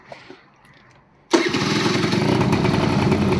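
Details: AF18e two-stroke engine swapped into an AF09 scooter, first start with a welded-up exhaust: quiet, then it catches at once and settles into a steady, even idle with no misses; a healthy start.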